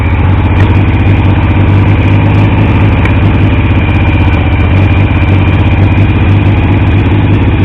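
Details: Triumph T150V triple after head and cylinders came off to stop oil leaks; started on the 2nd kick. Steady, even idle with a firm regular low beat, no knocks. Oil pressure ~40 psi under 2000 rpm, ~70 psi revving; no leaks; normal idle.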